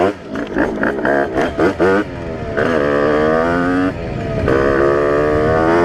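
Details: Test ride of a Rieju RR moped with tuned 80/85cc brand-new cylinder on 4% oil mix, carburetor still being set up (needle changed, 148 main jet): sharp throttle blips then crisp, smooth pull through the revs without bogging; running well.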